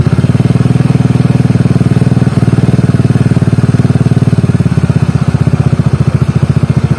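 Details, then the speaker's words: Carbureted Honda Beat scooter after stripping the CVT, whose rollers had failed in under two months and gave a rough "helicopter" noise at low rpm: even, steady single-cylinder thrum, no flutter or rattle; the noise is gone. "udah nggak ada suara helikopternya lagi"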